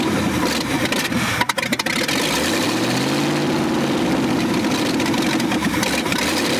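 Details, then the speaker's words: Forgotten 1965 Ford F100 V8 buried over 50 years, first start with no exhaust: cranks, catches and rises to a loud open raw burble settling to a steady idle; runs fine, just unmuffled. "it ran there's no doubt that's crazy it sounds good too i mean other than it being extremely loud from no exhaust"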